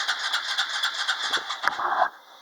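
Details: ATV on a cold start attempt with a little choke: fast rhythmic cranking pulses, about four per second, with no catch or firing before it stops. It cranks but won't start.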